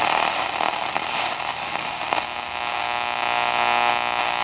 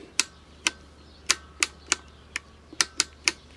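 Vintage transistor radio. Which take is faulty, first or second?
first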